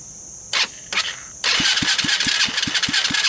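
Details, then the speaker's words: Chinese-made 110cc automatic single-speed ATV that inhaled water, grass and dirt through the carburetor with no air cleaner after a mud romp; a few cranking bursts on the electric starter, then it catches on starting fluid and a trickle of gas in the fuel line. It runs in lumpy, uneven pops about five a second, then falters. The starter seems faulty; the cause of the rough running is unconfirmed. "so it almost starts it almost runs"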